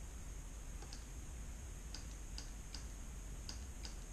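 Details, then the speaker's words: GM 4L60-E shift solenoid (A/B) out of a Tahoe, bench-tested on a 9-volt battery: sharp, light clicks in irregular pairs over a quiet hiss; the solenoid snaps in and out normally and passes the test. "you just listen for a clicking sound try that one more time I'll get you a little bit closer okay so we heard this one clicking"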